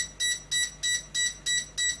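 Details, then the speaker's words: DIY Arduino RFID lock for an AC EV charging station: a run of ten short, evenly spaced high beeps, about three a second, meaning the new card was refused because the two-card limit is full. "beep ten times that means the last card you try to program wasn't add it because it reached the limit the limit is two cards"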